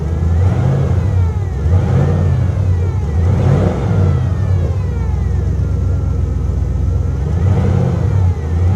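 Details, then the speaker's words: V8 car at a salvage yard, revved in several blips; revs swell unevenly. It runs almost like it has a cam, though the owner thinks it is probably stock and suspects ethanol gas sitting since January; rough running. "well this thing is running uh almost like it's cam but you know what it is it's probably not cammed it's probably stock and it's probably running like crap because it's got ethanol gas in it from january"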